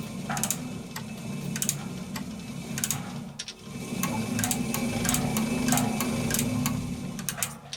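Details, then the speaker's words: Servis (Eudora) 386 compact 3 kg washing machine timer: regular light clicks, about four a second, over a steady motor hum as a reciprocating pusher ratchets the large timer cog round; normal timer clicking. "so this timer it's just giant Cog right it's being pushed around by this so as that goes up and every time it comes back down again it turns it"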